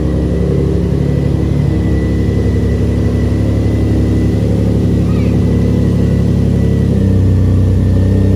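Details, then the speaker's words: RHD Nissan 350Z, very first startup after Rev 9 turbo kit install, catless downpipe; deep loud rumbling idle with gentle throttle blips, much louder without cats but running evenly. "that is significantly louder with that dumb pipe no cats now"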